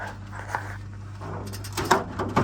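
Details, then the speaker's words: Underfloor heating circulation pump in a doctor's surgery, which had no power from the Nu-Heat wiring centre until the fault was fixed: a steady low electric hum under nearby knocks; the pump now has power and runs normally. "You can hear it. You hear that? Pump's running. I can feel it as well. I can feel the pump running."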